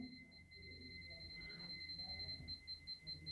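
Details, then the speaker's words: Electric iron that won't heat, series continuity tester moved along the power cord: a steady shrill beep with slight pulsing. The tone weakening along the lead suggests a broken conductor inside the cord. "देखिए अब यहां पर आवाज थोड़ी सी बदल गई है यानी कि आवाज कम आना शुरू हो गई है तो इसका मतलब इसके बीच में कहीं ना कहीं वायर खराब होगा"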